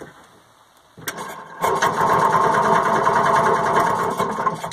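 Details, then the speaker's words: Second Penguin, little used, would not stay running after sitting over winter; cranking in forward gives a steady churning crank of about four beats a second that never catches. No spark in forward but spark in reverse, so dirty forward points are suspected. "so we have spark in Reverse so that leads me to believe there is a dirty set of forward points"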